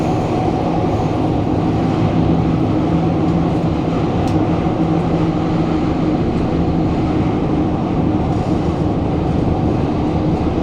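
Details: SMRT KSF CT251 train 2043 (Kawasaki/CRRC Sifang) on the TEL, Great World to Havelock, recorded in car 20433 at doors A5/B5: heavy rail roar at speed with rapid, rough low pounding from severe wheel flats, and loud screeching while braking.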